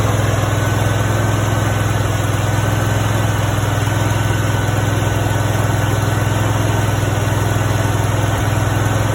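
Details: Brand-new Honda GX630 20 hp engine, 0 hours, just after first start: smooth even low drone with steady firing beat and no knocks or rattles; healthy new engine settling in.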